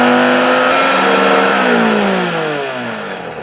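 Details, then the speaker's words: Donated blender missing some feet, first power-up: strong high whine with a coarse, uneven edge slowly sagging in pitch; powerful but rough-running motor, cause unknown. "That sounds very rough. Powerful, but rough."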